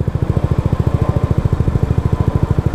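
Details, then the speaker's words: Honda Ruckus scooter after a valve adjustment and tuning attempt: a fast, even single-cylinder putter at steady high revs with no pull-down; something in the CVT isn't sliding, owner suspects the clutch side not separating from the belt. "I'm going to blow up it's not working something's not sliding something's not moving correctly"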